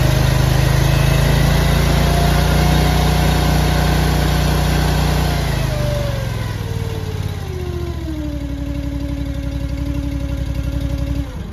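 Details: Honda iGX800 EFI engine on a Wolfe Ridge 35 SHO log splitter after replacing parts: smooth, even run that eases down to a lower, steady speed with no knocks or misses; it runs fine.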